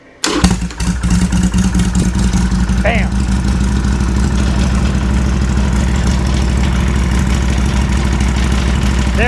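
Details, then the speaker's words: Harley Sportster with Hammer Performance 1275 kit, after connector converted to Deutsch and new choke cable: fires on first press, steady loping idle that no longer dies; fixed. "There you go, just like that. Fired right up as quick as I hit the button. And as you can tell, it would have already shut off by now."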